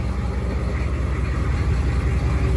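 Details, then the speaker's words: 1995 Chevy K3500 6.5 turbo diesel at idle, before repair, with hard starting and a shot power steering pump: a rough, steady low clanking chatter under the knock. Cause was a worn crank pulley, since replaced. "So I'm sure most of y'all heard that terrible kind of clanking sound, just kind of like a chatter or rattling when the motor was running. And I'm glad I found this."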